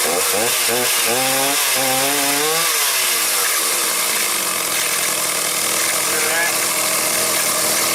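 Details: Stihl 029 chainsaw with rim sprocket revving with a harsh rattling buzz; the chain keeps turning at idle and when starting. The clutch springs were broken, and a cover washer behind the clutch was missing.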